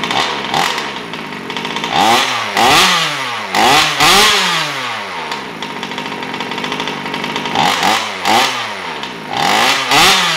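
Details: Taylor RC 35cc two-stroke in a DBXL 2.0 RC car with Bartolone Racing exhaust and filter, first start during break-in heat cycles at half throttle: high crisp buzz rising and falling with throttle blips, picking up cleanly; running normally.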